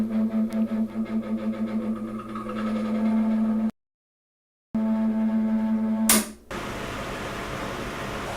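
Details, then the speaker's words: NuTone 50 CFM bathroom exhaust fan: a loud, rough, wavering drone from the motor's end-cap bearing, which has run dry. "the noise coming for that's actually this bearing cap it's run dry it's the end cap"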